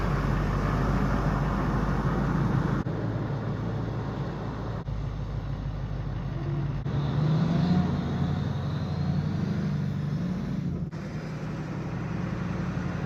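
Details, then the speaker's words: 2005 Chevy 2500HD LLY Duramax with ZF6 six-speed, driving after front wheel bearing replacement: steady road rumble and engine drone, no thud or growl on lift-off; bearing quiet, earlier noise gone. "No noise, the truck rides good, it drives good. The wheel bearing ain't making any noise like it used to."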